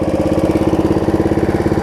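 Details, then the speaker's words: Snapper rear-engine rider at idle after carb cleaning, new deck belt and throttle cable repair; small single settles into a steady, even idle, pulses evenly spaced about twelve a second, no misses or knocks; healthy, running excellent. "that's idle that's full throttle it's like drawing like a dream it's running excellent"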